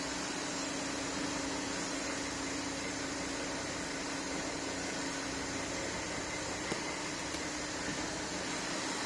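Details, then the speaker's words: Audi A5 CCWA V6 diesel after all pulleys, tensioner and drive belt replaced: even, steady idle with smooth hum, no squeal, chirp or rattle from belt side; sounds healthy. "Alright, that sounds good. Start the car up, everything went well."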